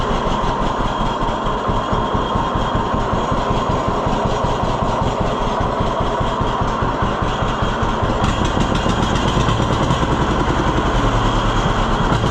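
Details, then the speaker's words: 1948 John Deere B tractor after Wico X magneto maintenance fixed its ignition problem: slow, even two-cylinder putt-putt at idle, firing cleanly with no misses or stumbles. It now idles lower than it ever did before. "What you're doing is you're giving it more fuel, so it's easier to ignite, which covers up the ignition problem. But this thing's idling awesome now."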